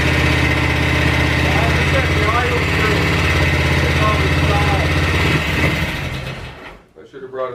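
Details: BSA 441 with a rebuilt Amal Premium carburettor (float set) that earlier ran and idled terribly: an even thumping single at about four beats a second holds steady, then dies away; it now idles normally.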